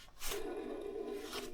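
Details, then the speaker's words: Alternator pulley spun by hand: quiet, rough rasping drone from a worn alternator bearing, not the clutch pulley, so the whole alternator needs replacing. "il est rincé. Tu entends ? Là c'est le roulement. C'est même pas la poulie débrayable à remplacer. C'est c'est l'alternateur complet."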